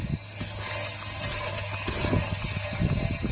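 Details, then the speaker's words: Audi S3 on jacks, suspect rear wheel being turned by hand, the side a squeal seemed to come from: irregular clunks and ratchety clicks over a faint high squeal. Clunk when rotating wheel; wheel bearing suspected. "a bit of a clunk in there as well if you can hear that definitely something not right"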